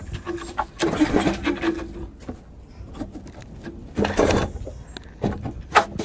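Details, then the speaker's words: Rebuilt pressure washer small engine with a leaking intake manifold, pull-start cranking: three short bursts with no firing; turns over but won't start, starved of fuel. "Look, it's kind of hard to have fuel flow into the carb when"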